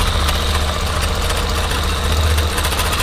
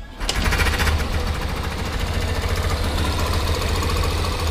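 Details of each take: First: Yamaha Factor 125 single-cylinder at idle after rocker (valve clearance) adjustment: light, irregular tapping over the steady low putter, a knock now coming from around the exhaust pipe area; cause suspected, not confirmed. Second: Yamaha Factor 125 single-cylinder motorcycle idling after the valve rockers were adjusted: it starts and settles into a steady, even idle with no valve tapping.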